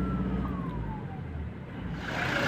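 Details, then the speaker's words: Toyota Hilux Revo, 27,000 km: thin whistle under acceleration from engine side, gliding down then rising air rush with revs; mechanic first suspected turbo, but damaged air filter found with half of a corner missing. "Acceleration पे इसके एक सीटी noise आ रही है, जो कि turbo से मुझे लग रही है कि टर्बो की आवाज़"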